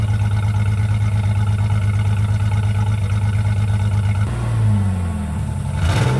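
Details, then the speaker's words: 2004 Jeep Liberty 3.7L after replacing muffler and tailpipe to fix an exhaust leak; deep steady idle drone, slightly louder exhaust, then a smooth blip of revs rising and falling cleanly; sounds sound. "So, now let's just crank it up and see what it sounds like. It sounds louder, a little bit."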